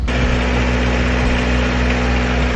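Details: Generator on a 1970 Model 5 Eagle bus, started from the inverter battery: steady low drone with an even, unbroken hum and no knocks or misses; after about five minutes running the inspector felt it sounded about to die.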